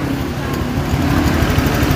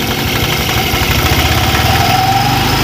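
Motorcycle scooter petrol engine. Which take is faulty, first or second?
second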